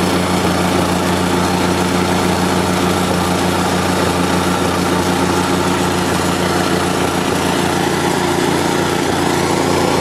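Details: Market plate compactor with an unknown Chinese engine (Honda GX160 or Loncin 196 copy) that started then died; the oil sensor is reconnected for the test. It holds a steady, even fast idle with no stumbles or cutting out, the sensor okay, running normally.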